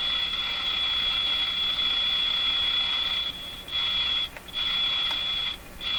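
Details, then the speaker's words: Jewel Model 505 vacuum tube clock-radio during repair; steady high whistle drops out three times as wiring near IF can is wiggled, later traced to a factory-unsoldered wire. Intermittent audio from loose connection. "okay okay that's a hint maybe something up in this area here some pretty stuff that's pretty close shorting out here careful with what I wiggle"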